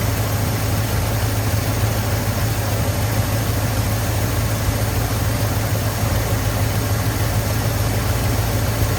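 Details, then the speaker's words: 1983 Ford F250 with 460 V8 and carburetor, running after fuel filter priming; steady, even low rumble at smooth idle with no misses, knocks or surging, though an accelerator pump leak with stripped screw threads remains. "So I got a little more to figure out with this thing, but it is running."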